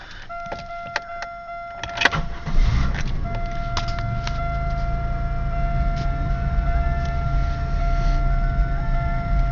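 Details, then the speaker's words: Buick Regal 3800 Series II supercharged, 235k miles: warning chime, then a cold start settling into a steady, slightly raised high idle that doesn't hunt, after a vacuum leak was sealed with heat-shrunk rubber to fix the rough idle. "See the idle engine's decently cold. So, it's going to be a little bit higher. Goes into high idle when you start it."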